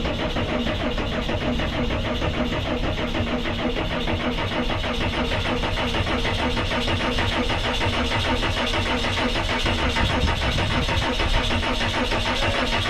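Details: Cummins-powered 2002 Snap-on van that sat ten years: long, steady labored cranking with no firing; there is plenty of fuel at the injectors but no return, it runs on ether, and an injector swap is planned.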